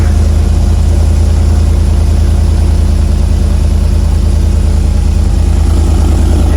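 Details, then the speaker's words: RAM 1500 Hemi V8 with rear-mount turbo and makeshift exhaust, start-up exhaust loudness test: deep, steady idle with even rhythmic cam lope, no knocks or ticks; normal idle with cam lope. "Oh, it's perfect. It sounds perfect. Oh, it's deep. It's super deep."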